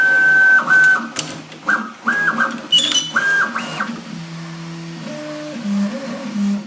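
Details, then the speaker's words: 5-tool Prusa XL 3D printer during a print: stepping tones jump between pitches as the axes move, fairly loud over a quiet background; fans aren't the issue, loud stepper motors drive the noise. "this printer is also not the quietest unlike other fast machines that have really loud fan noises that's not the problem here but rather quite loud stepper"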